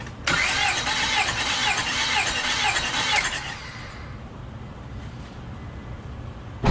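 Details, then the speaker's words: Compression test on cylinder one with throttle held open: about three seconds of cranking with five evenly spaced, equally strong compression strokes, engine slowing on each; compression sounds healthy. "You could clearly hear the strokes of the engine, the 5 compression strokes."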